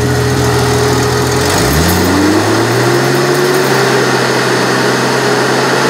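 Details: Jeep XJ electric cooling fans with a two-core radiator: a rising hum that levels to a steady whir, with airflow that sounds thin for cooling this engine.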